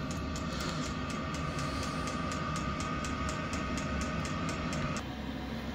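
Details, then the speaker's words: Chinese diesel air heater running after fuel pump fix, powered from a transformer with battery backup: steady fast whir, even ticking pump beat and level fan tone; lit on second start after a fuel airlock, now running smoothly at full output. "Okay, took two starts because it obviously had an airlock in the fuel. It's racing away now, running a treat."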